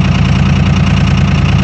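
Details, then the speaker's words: 2001 Dodge Cummins diesel, 220,113 miles, 5W-40 oil, cold start at -4°F using grid heaters: goes straight into three-cylinder high idle instead of idling first; steady raised idle with an even low rumble, no knocks or stumbles; normal cold high idle. "this truck for almost nine years now it's never done that before where you fire it up and immediately kicks her into high idle usually go to idle first and then ramp up after a little bit"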